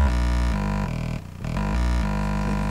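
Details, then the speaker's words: Speaker playing low-frequency tones around 50–60 Hz: a deep steady tone with a harsh buzzing rasp; the speaker itself is fine, but the loose grille cloth flaps and hits the back plate, while higher frequencies are less affected. "I've just had a look at the speaker and the speaker's absolutely fine but it's actually the grill is rattling and hitting the the back plate"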